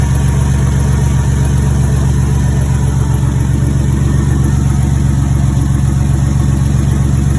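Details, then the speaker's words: Turbocharged 4.3L V6 in a GMC S10 (Psyclone-style build), just fired up at idle: deep, even pulse with steady firing, no knocks or misses; sounds healthy and rumbles like a V8 before warm-up. "sounds pretty good sounds like a V8 sounds good let's uh let's warm it up and take it for her span"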